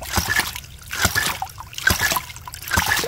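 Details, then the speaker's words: Hydraulic ram pump at about 30 PSI after the new washer fixed the waste valve sticking open or closed; it now cycles in any shaft position, with splashing clacks a little over once a second at an even beat. "the shaft and it works in any position and that's exactly what we want we don't want it to get stuck we want it to be reliable and work 24 7."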